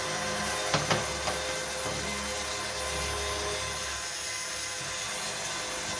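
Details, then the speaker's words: Cheap Amazon electric fuel pump set up as 55-gallon drum E85 transfer pump, pumping fuel: steady loud buzzing whine over low hum, never wavering; runs normally, just noisy. "i don't know if you can hear this pump is super loud i don't think i would ever trust this on a car"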